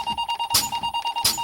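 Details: Truck air brake check, fanning the brake pedal down to about 45 PSI: steady buzzing tone pulsing about eight beats a second as the low air warning sounds, on since about 70 PSI, above the required 60; working normally.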